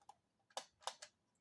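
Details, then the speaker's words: Vintage Unique portable cassette player with IC automatic level control, fresh batteries: few sharp irregular clicks, no steady motor hum, wheel moving but transport catching and skipping; cause unknown — clicking, transport skipping. "Well, I hear it clicking, and there's a wheel moving. It's kind of skippy."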